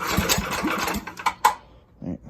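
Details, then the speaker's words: Predator 301cc single swapped into a 1989 Yamaha Warrior, choke on, no exhaust fitted: sharp, loud, raw popping bark on startup and a few throttle blips; intense, needs an exhaust. "turn that down let's give it some throttle wow that's intense uh so we need an exhaust for you bud"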